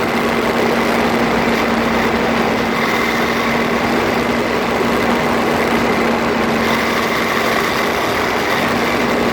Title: Freelander 2 Grinding noise, phone is taped close to front differential